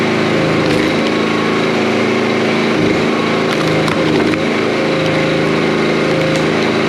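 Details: Commercial log splitter small engine warming up after hydraulic repair: steady buzzing drone at constant speed, knocks and rattles from handling; normal running.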